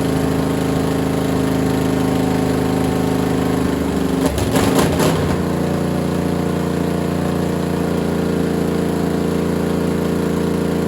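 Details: Freshly assembled small block Chevy for a Model A hot rod, Vortec heads and new cam, first start on a stand. Steady even V8 rumble with one brief blip, no knocks or ticks; 60-70 psi oil pressure, runs healthy.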